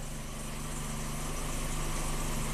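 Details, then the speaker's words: 1997 Kia Sportage 4x4 that surged at idle, after reinstalling idle air control valve and clearing emissions data: smooth even idle, steady low hum, no rise or dip, about 800-900 rpm as specified; no longer surging. "It's not surging anymore. Seems to be pretty stable. About, oh, I don't know, 800 to 900 RPM, right where it's supposed to be."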